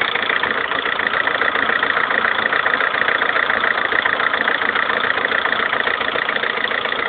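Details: 2011 Lada Kalina 1.4 16-valve, 20,000 km, suddenly started knocking overnight; steady idle with a hard, even knock about three or four a second, never letting up. Piston knock, cured by fitting pistons of another size group.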